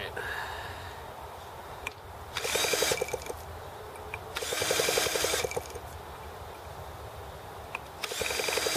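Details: T26 model engine at 3°F (-13°C), after a valve job and rocker-arm and carb adjustments: three short drill-driven cranking bursts with quiet gaps, and it never catches. Too cold, with the carb icing up; the cooling water froze as well.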